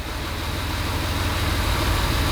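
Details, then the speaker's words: Jaguar E-Type after a service: smooth, steady deep idle with an even beat and no ticking or chain rattle, much quieter than before. Normal idle. "but I say the engine's just you know it's just running as sweet as a nut now it's really um it's got a really nice just TI over"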